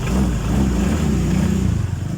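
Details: Honda PCX 150 scooter, non-charging fixed by correcting main fuse position: quick throttle blip, revs rise smoothly and settle without stumble or rattle; normal revving.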